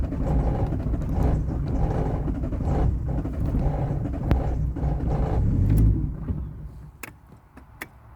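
Rhythmic starter cranking at roughly three turns a second for six seconds, no firing at all, then it stops: cranks but won't start.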